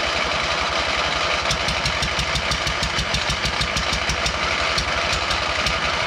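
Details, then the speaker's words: MTD mower twin-cylinder engine started on ether spray after long sitting: rough, uneven lumpy stumbling exhaust beat about three pulses a second, firing on only one cylinder; head gasket seen leaking on that side. "sounds like it's firing on only one cylinder"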